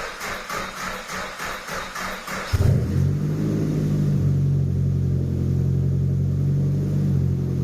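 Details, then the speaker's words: JDM Nissan Pulsar GTiR, on a freezing cold evening after a vacuum pipe was reconnected: starter cranks about two seconds, then it fires and settles to a steady, even idle without cutting out; sounds better, though a few spits remain. "don't no out in the woods yet but it does sound better"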